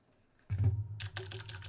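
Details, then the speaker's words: ADK64 keyboard with Plain60 Alps switches: bursts of key clacks while typing, each with a faint trailing metallic ring, from spring ping in the switches. "Oh, can you guys hear that? Just me like playing around with the, here we go. Can you guys hear all of that pinging? Man."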